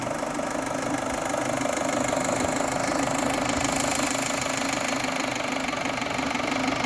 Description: Strange engine noise. It was the timing belt moved with 1 teeth 2.0T gasoline engine